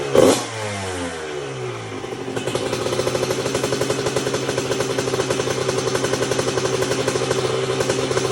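Two-stroke fires after a kick, blips once, then settles into a crisp, even, fast ring-ding idle; engine running cleanly.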